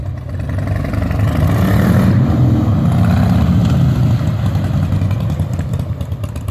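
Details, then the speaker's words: 2003 Harley-Davidson Softail Standard V-twin pulling up through the gears after changing to 20W-50 synthetic motor and primary oil and 75W-90 transmission lube. Changes are soft and muted, much quieter than the earlier clunk; shifting is normal. "quieter Wow big difference dan just drove it around the block so how's it shift in I like butter like butter"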